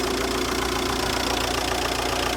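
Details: Audi 3.0 TDI, 85,000 miles, oil pump changed 20,000 miles ago, injectors and wiring loom replaced, running at idle: loud diesel idle with a hard, fast metallic clatter throughout, source unclear, from the exhaust side under the airbox area; abnormal metallic engine noise.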